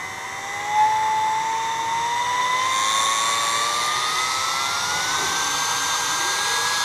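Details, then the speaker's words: Portable hot-air soldering blower (SMD rework station) after modification to reduce airflow, control turned fully to its lowest setting, recorded with the recorder held close: smooth airy whoosh with a thin motor whine slowly climbing in pitch, no rattle; normal blower motor at low speed. "Ini bunyinya saya putar pelan. Ternyata putar kanan dia pelan ya. Ini sudah paling pelannya."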